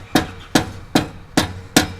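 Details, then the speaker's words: BMW M2 LCI with iPE exhaust on factory valve actuators, cold-start rattle: five hammer taps on the exhaust valve, each leaving a brief metallic buzz from a loose flap; fix is removing spring washers to change tension. "you can hear that extra rattle that we were trying to fix."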